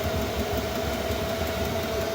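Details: Chinese diesel heater back running after losing heat and throwing E10 start-failure error, suspected contaminant in fuel (water drained); fuel in burn pipe finally burning: steady, even burner roar with constant mid-pitched hum, no surging or popping; burning cleanly.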